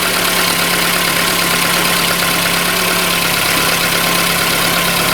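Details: Warm engine at about 97–99 °C after repair of a cylinder with no compression and first start: settles into a smooth, even idle with a steady hum and no knocks or ticks; sounds healthy.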